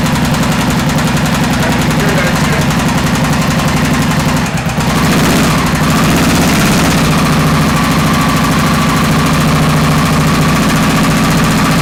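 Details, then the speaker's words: 2001 Honda XR650L single-cylinder, before teardown, smoke from cleaning the motor: idle with a quick fairly steady tick over the exhaust beat, about three or four a second; top-end ticking, owner suspects a valve seat. "so that's our ticket noise we got the smokes from cleaning off the motor"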